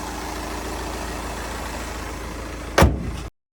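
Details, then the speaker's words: VW Passat after a new flywheel was fitted, warning lights cleared: even, steady idle with smooth low hum, no knocking or rattle, a single thump near the end; car repaired, normal idle. "और इसकी सभी लाइटें भी हमने of कर दी और गाड़ी एकदम ओके हो गई"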